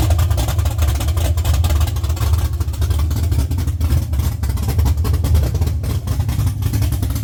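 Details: LS-swapped Chevy C10 on Holley Terminator X, first start after sitting 3 years: deep steady V8 rumble running evenly and picking up cleanly when revved, no knocks or misses; engine healthy.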